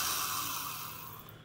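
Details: Porter-Cable #372 1/2-inch D-handle drill, 3.6 A, 750 rpm, triple gear reduction, running with no load: a steady high motor whine with gear hum, coasting down smoothly on trigger release. Normal free-running.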